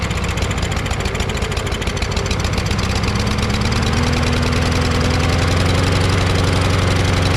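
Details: Craftsman push mower with a Briggs 550EX engine, started on first pull with the choke flap not moving: it chugs at fast idle with an uneven, lumpy beat that settles and rises slightly. It runs better than before, but the owner suspects something strange in the carburetor.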